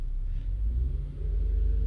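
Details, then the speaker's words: 2022 Toyota Avalon with rough idle and misfire codes (P0300 random, cylinders 5 and 6): deep engine rumble stumbles unevenly with irregular dips, shaking felt under load and raised rpm, not noticeable at idle. "doon mo siya maramdaman na may panginginig yan oh Yan oh randam mo nanginginig siya pag may load so bale ito ung random mpire niya or Ah Miss fire ito five saka six"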